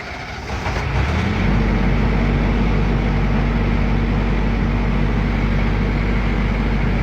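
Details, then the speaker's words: Military generator after repair, started holding prime-and-run past low oil pressure shutdown: catches and settles into steady, even low thrum, no knocks or misses. Normal running. "Ladies and gentlemen, we fixed the generator. Listen to that baby just purr. That is a smooth running engine."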